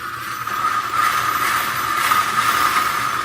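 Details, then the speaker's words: Primal RC Raminator with Vitavon electric conversion on 8S: Hobbywing Max4 ESC, 560kv motor, new transmission, 15-tooth pinion; steady high whine near 1 kHz with smooth gear rush, no clicks or grinding: normal drivetrain running. "I got all my steering, everything going, and the camera may make this sound bad, but honestly, it's not bad."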